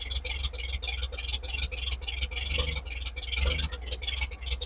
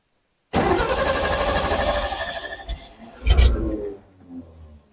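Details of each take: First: 1950 Chevrolet project truck idling steadily with about 40 psi oil pressure after the fuel and ignition systems were tidied up; a steady, even beat with a solid low rumble and no misses, a normal idle. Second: 1950 Chevrolet truck after fuel and ignition system work, started in neutral: engine catches abruptly, runs rough and sags, then gets a burst of throttle before fading; hard start, likely wanting some choke.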